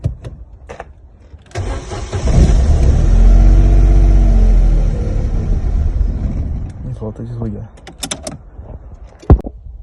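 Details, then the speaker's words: Corsa B 1.0 16-valve gasoline: engine catches on gasoline injected into the intake, runs rough about four seconds, then dies; caused by faulty fuel pump relay. "como a gasolina sai da bomba mas não chega no motor vamos ver se o filtro está entupido"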